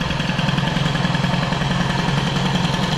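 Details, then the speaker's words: Peugeot 103 with Airsal 65 Piaggio-scooter cylinder, now warm; held idle cold but not warm; fast busy idle with quick regular beat, never settling; idle speed set far too high. "maintenant qu'il est chaud il tient plus ça veut dire quoi bah c'est simplement le ralenti et beaucoup trop"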